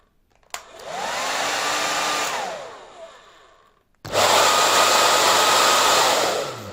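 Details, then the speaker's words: Sembo hair dryer, fault fixed during disassembly: a strong, steady rushing whoosh with a constant motor whine once up to speed, spinning down cleanly, carrying heat away from the heating element; normal airflow. "لہذا، یہ دونوں اندر مزاحمت میں بننے والی حرارت کو باہر کی طرف منتقل کرتا ہے اور بالوں کو صحیح طریقے سے خشک کرتا ہے اور مزاحمت کو مزید گرم ہونے سے روکتا ہے۔"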